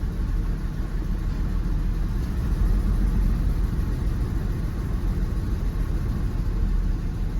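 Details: Jeep WJ 4.0 shaking and not accelerating, dash lights on, AC on, code P0351 (coil primary/secondary failed); a lumpy, loping idle at about three beats a second. The cylinder 1 plug is not firing, a misfire addressed by replacing the coil and plugs.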